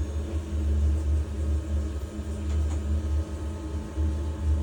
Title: Biasi boiler making noise